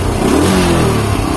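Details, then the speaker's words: Motorcycle after carburetor disassembly and reassembly for hesitation on initial throttle and at high rpm: short smooth rev, steady even note, no stumbling at low rpm; normal revving. "kita coba diperhatikannya kita di RPM bawah ini udah normal ini udah langsung udah normal ya"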